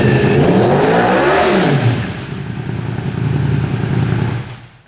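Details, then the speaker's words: 2015-17 Yamaha YZF-R1, warm, Arrow Competition full titanium exhaust with 230mm Race Tech silencer, dB killer removed, about 113 dB, indoors; loud raw bark rising and falling with two throttle blips, clean, no knocks, healthy. "All right, now we're going to start it up with the DB killer remove. And that's revving it up a little bit. I would definitely agree with the 113 decibel rating that Aero gave it."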